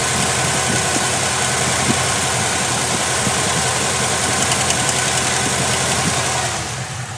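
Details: LT1 V8 at idle with a quick, erratic, uneven tick riding over the engine, about three or four per second; a lifter tick is suspected.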